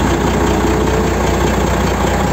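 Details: Freightliner FLB truck after a hard jump on a rough road knocked the exhaust pipe off: loud raw idle with rapid even low popping chuff and no muffling; exhaust leak from broken-off pipe.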